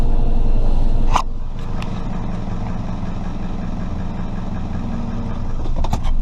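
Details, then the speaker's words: 1996-2000 Toyota RAV4 3S-FE at start-up idle: steady low idle with a rapid puffing tick on each exhaust pulse, loudest down low, louder when driving; exhaust leak from the flex pipe, before welding repair. "so this is what the exhaust leak on this car is gonna sound like right when you start it up here we go now you can hear it kind of ticking"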